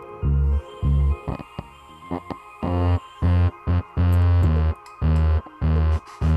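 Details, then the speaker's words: Dayton Audio DC130AS-8 replacement driver in a Polk Audio RTI-28: every bass note carries a rough buzz instead of a clean thump, and pressing on the cone makes it sound fine. The voice coil is rubbing, thought to be factory misassembly. "The voice coil is binding. This thing is not assembled correctly from the factory. It shouldn't be a buzzing bass like that."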